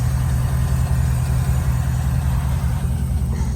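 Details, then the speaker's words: 2007–2013 Chevy Silverado V8 at a steady, even idle with no knock or miss after water pump gasket, thermostat, hose and coolant reservoir replacement for a coolant leak; owner hears a very faint lifter tick; running normally. "water pumps running good got that new gas dude down there everything's running good"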